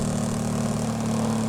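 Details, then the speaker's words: Repaired burnt DC air cooler BLINO motor, rotor refitted, run on a 12 V supply at full speed: loud, steady, even hum with no rattles or uneven beats; runs cleanly after repair. "ये इधर से speed भी control कर रहे हैं। लोग देखें इसकी फुल स्पीड है। इसकी आवाज चेक करें।"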